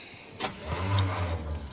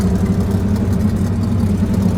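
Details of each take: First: Chevrolet Suburban on a cold 28° morning, described as having shot rings, with a brand-new Napa starter fitted: the starter churns briefly but the engine never fires, the same as before. The owner suspects the coil. Crank, no start. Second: Chevrolet Suburban V8 finally running after a crank-no-start saga, with rings said to be shot: a deep, steady idle with a slight choppy lope, all eight cylinders firing evenly and no misfire. Normal idle.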